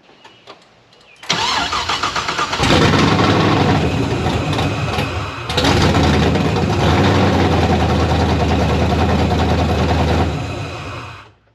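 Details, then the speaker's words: Pontiac GTO project on open headers, with the throttle body just adjusted and the electrical issues apparently gone. A brief crank, then it catches with a loud, crackling open-pipe burble and settles into a fairly even idle before shutting off. Normal idle. "seemed to be a little happier but at least we got our open header start thank God for that"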